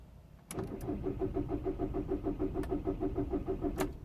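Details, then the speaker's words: 2006 Volkswagen Golf Plus 1.9 TDI (BXE) with long cranking or no start when cold: steady starter cranking at about three compressions a second, engine never catches; crank no-start, repeating the fault seen two days earlier. "okay he's not going to start he's doing the same that did two days ago"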